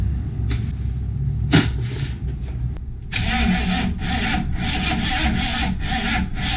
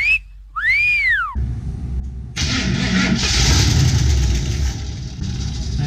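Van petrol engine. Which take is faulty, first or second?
second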